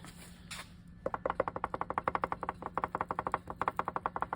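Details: Turbo Honda Civic engine torn down after rod knock at about 12 psi boost, suspected from overly rich tuning: sharp metallic clacks about three a second as the rod is rocked by hand; worn rod bearing play, heat-discoloured bearings.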